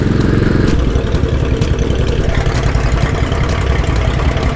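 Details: 1918 Hudson Super Six, restored and on the road for the first time since the 1940s, on a chilly day: even, steady firing beat from the old six with no knocks or misses, running healthy.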